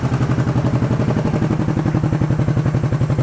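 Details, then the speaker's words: Honda CB350 twin, warm after about 10 minutes running. Lumpy, loping idle firing on one side only: the left cylinder drops out at idle because one carburetor has no idle circuit, and it comes back in when revved. "What's going on is I got it, when you rev it up, it's fine. At an idle, I don't have the left side. There is no idle circuit on the one carburetor. But when you rev it up, it comes back in."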